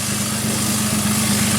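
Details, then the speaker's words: 1JZ VVTi swapped Nissan S13 petrol engine idling with the intercooler pipe off so the turbo spooling is audible: constant airy hiss over the idle from a vacuum leak, which was then located. "You can hear the turbo spooling because the intercooler pipe's off. Listen. Hear an vacuum leak somewhere."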